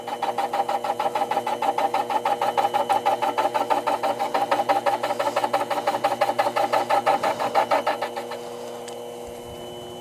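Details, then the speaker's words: Metal lathe with three-jaw chuck, facing cut at about 5 thou depth: steady rhythmic knocking about three per second, stopping when the cut ends, because the cutter is hitting an interrupted cut not yet cutting all the way round, which can damage the cutter. "that knocking sound we heard before means we have an interrupted cut so we're not cutting all the way around the piece yet we have to be extra careful on interrupted Cuts uh because they can damage the cutter"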